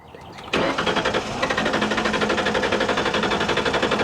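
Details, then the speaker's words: Original 1998 Ford Explorer V8 that had been sitting: a brief crank, then it fires right up and settles into an even, quick idle with no tapping or knocking; a healthy start. "come on there it is there it is there it is there it is ooh it sounds smooth so quiet it didn't even tap wow it wasn't tapping from sitting or anything it fired right up"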